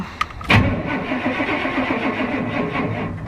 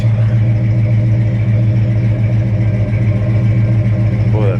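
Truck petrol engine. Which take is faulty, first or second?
first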